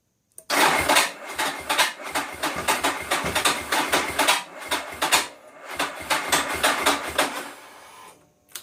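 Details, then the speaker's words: 2011 Ducati 1198 SP with hard-start problem: starter churns in rapid even pulses about five per second for several seconds but the engine never fires and is flooding; cranking without starting, cause unconfirmed. "It's flooding now. So this is how they start."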